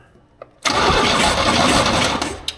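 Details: 1938 International pickup cranking with plugs out and a compression gauge fitted: fast, even starter whir turning over freely with no firing. Readings are about 160–200 PSI, consistent with healthy compression; owner wonders if the plugs are bad.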